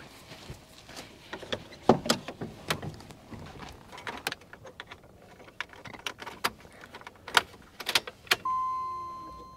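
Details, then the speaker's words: 1993 Jeep Grand Cherokee 4.0L key cycled after repairing leaking fuel rail quick-connect fittings with 3D-printed tools. Clicks, then a steady whirring hum for about a second and a half as the fuel pump primes and builds pressure; normal prime. "I heard the pump. Built pressure."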